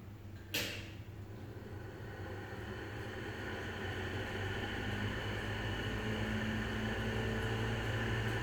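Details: Lenco-Middy's style 3 exhaust fan, described as on its way out: a clunk at switch-on, then it winds up to a steady hum with a rough, growling rumble underneath. Worn bearings.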